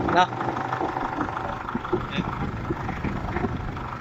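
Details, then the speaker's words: Isuzu D-Max diesel brought in for smoke, black smoke, high fuel use and sluggish running: even, settled clatter at idle with no misses or hunting; normal smooth idle. "ถ้าติดขึ้นมาแล้วเสียงเครื่องนิ่งกิ๊บ"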